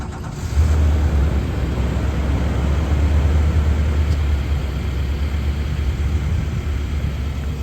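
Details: 2019 Nissan Titan cold start: catches cleanly and settles into steady, even idle with no knocks, ticks or misses, no dash warning lights; healthy.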